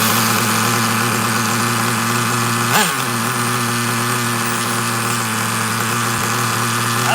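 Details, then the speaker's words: Traxxas Nitro Slash nitro engine on the bench, idle checked: a high, steady buzz holding one even pitch without hunting or dying. Idle is about as low as wanted for a Traxxas and sounds fine. "Okay, let's double check this idle real quick. Make sure I don't have to adjust the idle up. It's about as low as I've ever wanted to see a Traxxas."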